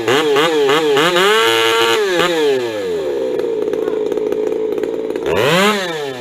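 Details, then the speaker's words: Ironhorse 372 chainsaw, rubber-mounted, at full throttle: revs blip, then hold a steady high buzz without screaming and break into a slight four-stroke burble after a tiny (under quarter-turn) mixture tweak; correctly tuned. "d then, that sounds like a power saw over there."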